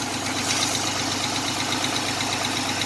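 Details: 1987 Chevrolet Celebrity Eurosport 2.8 V6 at 237k miles, idling at about 40–50°F after a new MagnaFlow high-flow catalytic converter and a single-in, dual-out Pontiac 6000 muffler: fast, light ticking about eight per second over a smooth, loud-exhaust idle. It is a newly noticed lifter tick.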